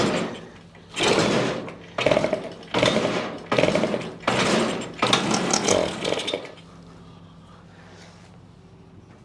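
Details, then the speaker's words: 1973 Yamaha CT3 175 two-stroke enduro just fired on choke after hydrolocking full of oil and fuel; carb cleaned and bottle-fed. Ragged, harsh, spitty exhaust bursts about once a second, liquid expelled. Owner suspects a major exhaust leak at the head or cylinder. "sounds like a major exhaust leak up at the head, or at the cylinder. Well, it runs."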